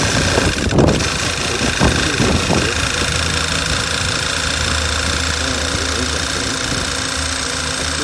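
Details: 2012 Volkswagen Tiguan petrol engine idling roughly with code P0507: steady idle with a faint constant whistle from a vacuum leak; huge suction under oil cap and dipstick, misfire code P0300 appears.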